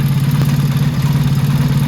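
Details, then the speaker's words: Motorcycle carburetor being tuned with a Colortune plug. Idle mixture screw back at 3 turns out with a blue flame. Steady, even low idle with a quick regular beat and no misses or stumbles. Mixture properly set. "Light's starting to sound a lot better, a lot more syncopated. That blue color's returned."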